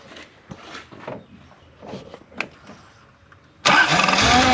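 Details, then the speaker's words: Toyota 1UZ-FE V8 (Surf/4Runner) after replacing the failed ignition coil, spark restored on the dead side: brief crank, instant catch into an even, strong idle with no missing beat; normal start. "Woo! How's that sound? That's got 6 cylinders because we've now got spark on this one."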